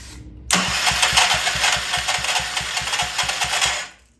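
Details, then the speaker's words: Old Troy-Bilt Pony rototiller on old gas with carb cleaner, throttle slow, choke fully closed: uneven, labored cranking at three to four pulls a second for three seconds, then silence; never catches, stiff linkage suspected. "this thing sounds terrible fast start stop slow choke o that might be part of the problem chok's all the way closed already"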